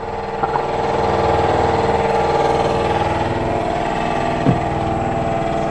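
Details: 100 L twin-cylinder workshop air compressor that kicked on during a Peugeot 3008 1.5 BlueHDi oil and filter service: steady fast pumping chug as it fills its tank, even and unforced; running normally.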